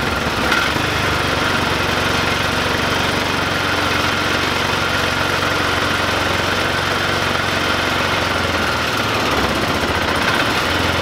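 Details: 2005 Polaris Ranger 500 UTV, a non-starting machine being rehabbed, running again after cleaning out and reassembling with the gasket: steady, even single-cylinder idle thump around four beats a second, no misses or knocks; healthy idle.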